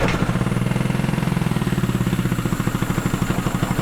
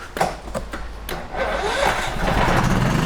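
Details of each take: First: Firman 3200W (WH03242) inverter generator under a year old, running rough with no power output: uneven, choked chugging with hissing at the exhaust, restricted by a heavily blocked spark arrestor. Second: Firman 3200W WH03242 inverter generator at 640 hours, after clearing a heavily clogged spark arrestor/muffler that caused rough running, hissing and no output: quick crank into a steady, even run with no stumble; power output restored.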